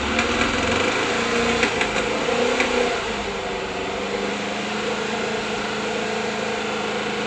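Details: 1979 Volkswagen Bus flat-four, first start after failure and repair, untuned, hydraulic lifters still pumping up: busy even clatter settling to steady idle with light valve ticking; running fine.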